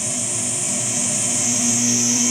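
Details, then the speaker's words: Hammond AO-29 organ converted to tube guitar amp, after some wires were replaced with shielded ones: parasitic oscillation from long lead dress still gives a steady high squeal over hum, pitch shifting as wires are moved, less bad than before. "you can hear that there's still some uh squeal so let's move these wires around you can hear the pitch changes it's not as bad as it was though not as bad as it was"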